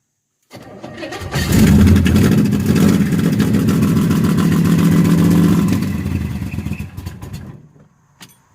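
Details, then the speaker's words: L78 396 engine freshly swapped into the '70, first start on open headers with a dose of fuel to help it start. Quick crank, catches on the first try and roars up, holds an even rumble, then winds down cleanly: a healthy first start. "cranked on the first try yep"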